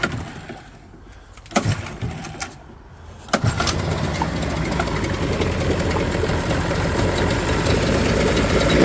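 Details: Yamaha 30hp three-cylinder two-stroke outboard that ran fine then began running rough, all cylinders at 110 compression, started cold on choke: a few cranking bursts, then a loping, uneven rough idle.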